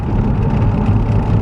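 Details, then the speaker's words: Skoda Octavia vRS diesel being driven after repairs: steady, deep drone under load, pulling smoothly with no hesitation; has boost, more power than before, pulls strong at 170, no engine warning light. "we engine is sweet we have boost we have more power than we did before um engine pulls great 170 perfect strong"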